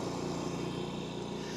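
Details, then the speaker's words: Eastwood QST 3060 scroll air compressor restarted after leak check: smooth even quiet hum, no knocks, rattles or surging; running healthily. "So we're going to turn this back on, and it's just a kind of an interesting observation."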